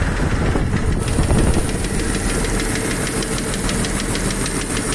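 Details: Jeep YJ 4.0 idling with fast, even, light sharp valvetrain-like ticking; owner doubts it is a lifter, cause not pinned down.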